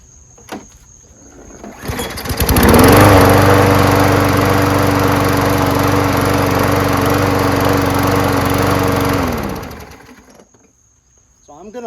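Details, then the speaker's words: Free trash-find Craftsman self-propelled bagging mower with 6.5HP Briggs & Stratton Quantum engine, after carb clean and sealing a hole with plastic, primed: starts on one pull, smooth steady hum about seven seconds, shuts down cleanly; old but working. "list this as an old and ugly mower but it works and it s propelled and it has a bag so if you need a super cheap mower that bags and drives itself and starts with one pool there you go"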